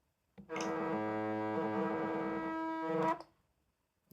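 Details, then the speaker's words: Genuine Nintendo Switch Pro Controller HD rumble, tested on the search-for-controllers screen by pressing A: about two and a half seconds of solid, unbroken buzz at a steady pitch, the rumble motor working normally. "You could probably hear the quite an audible solid vibration from the original Pro controller when I press the A"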